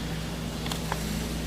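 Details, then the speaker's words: Whirlpool double-door fridge after replacing the worn condenser fan motor on the back panel: quiet steady hum with no scraping or rattle, just a click or two; the new fan spins smoothly, no longer grinding. "plug the fridge in check that out it's spinning and it's pretty quiet how long will it last who knows but that's how you fix them Whirlpool"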